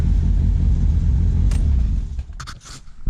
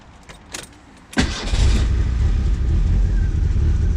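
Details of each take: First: Ford Sierra (Merkur) at idle with ignition timing completely out: deep uneven rumble with slight hiccup, running rich with fuel smell. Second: Merkur (Ford Sierra) right after ignition timing was set: short crank, then it fires at once and settles into a steady, even idle; normal start.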